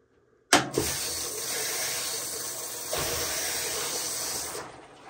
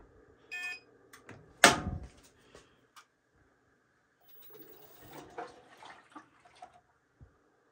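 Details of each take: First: Amana front-load washer with LF code, after replacing water inlet valve WPW10212596: steady rush of water for about four seconds, no sputtering or humming; fill valve working normally. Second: Amana front-load washer showing LF code, tested on delicate cold fill: long quiet stretches and odd clunks, then a loud hammering bang into a steady buzzing hum while barely filling; failing cold water inlet valve (WPW10212596), to be replaced.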